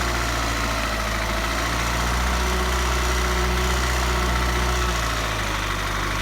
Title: Ford rattling sound #1